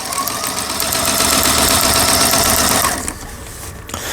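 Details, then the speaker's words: Lion Mising "Jelly" small sewing machine, after repair (it had stopped dead while sewing with jeans thread and would not stitch): quick, even clatter about four stitches a second, no binding or knocking; internals repaired, upper thread tension set, sounds good, stitching normally. "소리도 아주 좋네요. 이렇게 보시면 이렇게 박음질 때는 모양을 보실 수가 있습니다."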